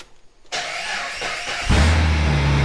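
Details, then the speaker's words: Custom Jeep TJ Brute build on temporary fuel line, first start with muffler removed: quiet, then sudden crank and catch into loud, deep, throbbing idle; loud open exhaust from missing muffler. "We have the muffler off, so it's loud. I like that. Might have to leave it like that. That sounds pretty good."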